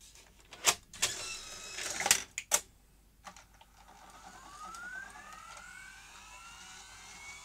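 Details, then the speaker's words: Sony J-30 Digital Betacam player capstan motor, with oil found around it, giving sharp irregular clicks and a thin rising whine as the capstan twitches and fails to reach position; bad capstan motor. "yes that's still not a happy capstone as it's making those noises i can see the capstan twitching it's like it can't get to the position it's trying to get to"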